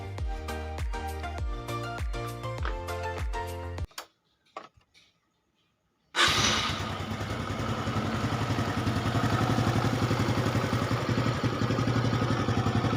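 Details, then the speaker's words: Honda Supra X 125 carburetor single-cylinder, after fixing previously very rough-sounding engine in cylinder block/head area; steady, even beat with no grinding, then smooth clean run, recorded on a quiet night; engine sounds healthy. "Oke, itu ya, suaranya sangat sunyi, atau maksudnya sangat halus."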